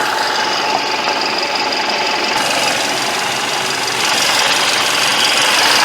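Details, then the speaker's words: Mercedes-Benz E200 coupe petrol engine with sticky thick oil plus additive, knocking even on premium fuel, P0420 code: harsh loud idle with fast uneven ticking under hissy clatter, abnormally noisy; cause suspected, unconfirmed. "이 자동차는 제가 알고 있는 소음이 아닙니다. 바로 끈적끈적한 오일을 넣었을지언정 또 냉각수가 고온으로 유지되고 있도록 만들어준 정성을 뛰어넘는 소음을 내고 있다."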